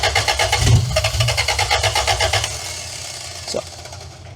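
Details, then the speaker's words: 2-liter engine newly installed in a van after sitting about 18 years, fuel pump on: steady starter churn at about three turns a second with no catch or firing; it won't start, and the intake was missing its clamps, leaking air. "think we need some clamps on this intake because I seem to have missed them."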